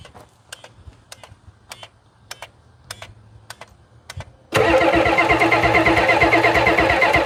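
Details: 1991 Ford F350 dually, 7.3 IDI diesel, unrun since 2010, after draining water from the petcock: a few light clicks, then steady even cranking that never fires. Fuel in the rails; unexplained injector pump clicking; cause unclear.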